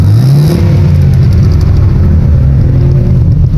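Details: Opel Astra, no check engine light, rpm pointer fluctuating: revved, it holds a lumpy, uneven note with no clean pull. The misfire comes from incorrect valve timing.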